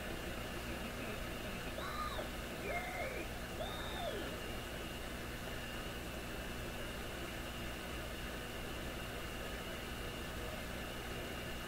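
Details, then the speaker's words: PYE 39HC shortwave broadcast receiver, baseline before replacing tubes, on loop antenna input: steady hiss with faint warbling tones and hum, a station's voice barely audible and sounding terrible; very weak noisy reception. "There is a radio station there. This is just sitting here. I can hear the voice, but it sounds terrible."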